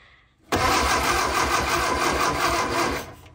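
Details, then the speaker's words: Barn-found Austin Healey Sprite, engine previously had the head off, battery on charger at 25%: pulling the starter cable spins the engine steadily with even, quick compression pulses and no binding; no fan belt fitted, so the fan doesn't turn. Normal starter cranking. "Starter cable is right over here, so if I pull that, it should turn the engine over,"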